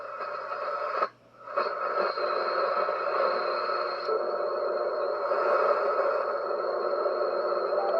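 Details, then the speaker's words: HF radio receiver: steady hissing buzz with faint fixed tones and no voices across the whole band, present on every frequency tuned, with a large spike on the display. HF is unusable; source of the interference is unknown. "the center right there no matter where i go that noise is there dude i somebody else having the same problem no matter where you go hf is pretty much dead"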